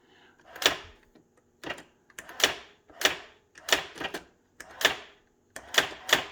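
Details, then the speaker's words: Brother Correctronic GX-66750 electronic typewriter: crisp bright clacks in quick clusters about every second, even strikes, no grinding, printing normally. "So you can hear it typing, but you can't see it."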